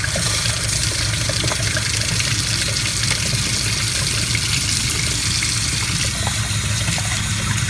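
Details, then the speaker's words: 1995 Damon Intruder RV, newly replaced fresh water pump running with the tap open; steady rush of water over a constant low, quiet pump drone, no surging or cycling, no leaks, good pressure. "so I didn't get back here quite in time but the pump was running I don't see any leaks very quiet"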